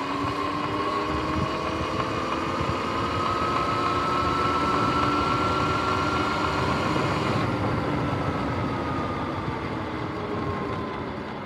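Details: Sur-Ron X electric bike: motor whine rising then falling with faint regular clicking about three per second; chain had locked-up spots and 14T front sprocket hooked like shark fins, chain and sprockets need replacing.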